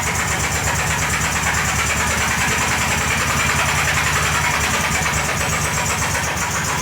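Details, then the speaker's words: VW Beetle (Fusca) with freshly rebuilt engine, warming up: loud, uneven rattle and knock audible even from inside the car, like the engine knocking, with new vibration on top; cause not yet identified. "Deixa eu ligar aqui que eu vou mostrar para vocês o barulho já dá para ver gente já de dentro do carro de tão alto que tá o barulho"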